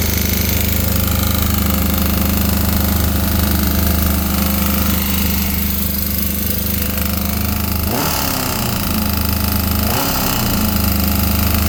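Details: 2001 Yamaha R6 RJ03 engine running: loud, fast hammering knock over the exhaust, after slight clattering for about 300 km turned very loud in the last 50 km; connecting rod bearing shell found missing.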